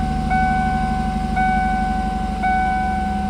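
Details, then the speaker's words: 1998 Ford Mustang convertible with 148,000 miles, sat for 10 years, just started after a fuel pump replacement. It idles low, steady and even with good oil pressure and no knocks, while a warning chime repeats about once a second. "Nice. Good oil pressure."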